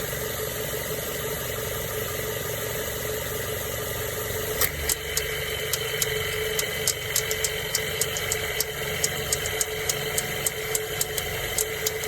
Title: Mazda 3 2007 AC Compressor clicking noise